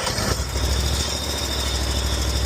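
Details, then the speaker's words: John Deere Z930M zero-turn mower just out of storage, with a new battery and fuel filter fitted, choke out: after a brief crank the engine catches and settles into a firm, steady low idle with no stumbling or knocking. "All right. So, she starts up. Like I said, put a new battery in it."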